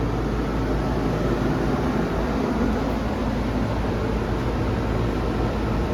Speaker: yeah that sounds good that's exactly what an ac should sound like